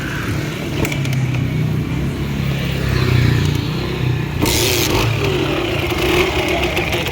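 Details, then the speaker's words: Kawasaki KMX two-stroke, test-run after mechanical seal repair and water pump impeller refit: runs and picks up evenly when blipped, no knocking or rattle over bench clatter; impeller working, sounds healthy. "Magana naman talaga. At least gumagana yung impeller natin."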